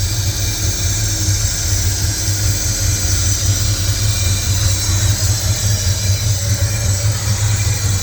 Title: Can someone please tell me what that hissing noise is